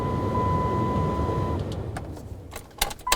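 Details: 2007-12 Dodge Caliber with new blower motor just installed, tested before refitting insulation: smooth, even whir with a faint steady tone for about a second and a half; blower motor works normally.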